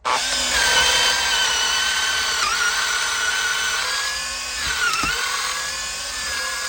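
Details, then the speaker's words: Makita DDA351 LXT cordless angle drill drilling wood held in a vice: smooth, high steady whir that dips briefly as the bit bites and recovers with no grinding or rattle; the drill runs properly under load. "goody hell if that's not running right I don't know what is"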